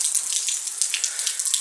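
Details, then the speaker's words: Washing machine that fills until it overflows: continuous hissing rush of water through the inlet valve when it should be shut; both inlet valves are leaking, one possibly more than the other. "pode ser uma pode estar vazando mais do que a outra, entendeu? Vocês podem observar aí problema nas duas válvulas, certo?"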